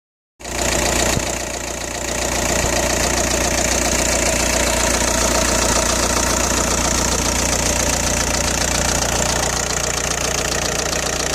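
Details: Audi A4 B6 1.9 TDI AWX diesel: starts and settles into a hard, fast clatter at idle, well above normal injector tick. It began after replacing injector O-rings and copper washers, fixing bad cold-start smoke; power loss also felt. Cause not pinned down.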